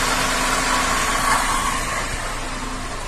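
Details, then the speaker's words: 2007 Cadillac STS 3.6 with a bank 2 misfire and exhaust cam timing codes P0017/P0019, after the bank 2 exhaust cam timing was advanced to about 20 with a scan tool: an even, steady idle with no stumble, now running smoothly. "Set it about 20. And this thing runs smooth as a top now."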